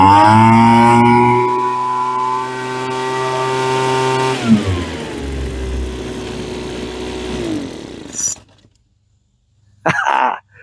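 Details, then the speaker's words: Roadside-found Troy-Bilt TB25C two-stroke blower (about 25cc assumed), after primer and choke: a steady buzz at speed eases down to an even, stable idle, then it shuts off cleanly. It runs normally. "Okay. Choke. Oh, it idles now."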